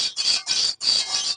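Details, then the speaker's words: Toyota Innova front suspension, steering end link disconnected: repeated high, dry creaks as it moves, from a badly worn lower ball joint; complaint was creaking while steering and over humps. "Crick എന്നുള്ള sound normally നമ്മൾ ഈ heavy വണ്ടികൾക്ക് നമ്മൾ load വരുമ്പോൾ മാത്രമേ ഈ sound കേൾക്കുന്നുള്ളൂ ഇത് നല്ല രീതിയിൽ പോയേക്കുന്നത് കൊണ്ടാണ് ഈ ഒരു സൗണ്ട് ഇങ്ങനെ കേൾക്കുന്നത്"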